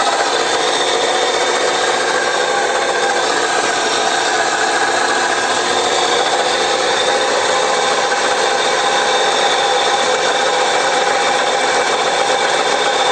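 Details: 2015 Chevrolet Cruze 1.6: constant dry rasping whir at steady pitch with no beat; alternator bearing humming.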